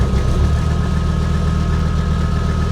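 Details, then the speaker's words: Abandoned 1980s Toyota Supra at auction, first start after sitting: low, uneven, lumpy idle with an unsteady beat; runs poorly at idle. "the horn kind of works it runs really it runs poorly"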